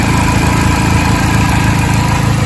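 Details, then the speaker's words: Chevy Cobalt/Pontiac G5 idling just after VVT solenoid replacement, previously surging with a misfire-like idle: smooth, even low hum with no surging or stumbling; normal idle after the fix. "i don't know if y'all can hear the difference but this thing was surging at idle definitely sounded like it had a misfire idle it well sounds so much better"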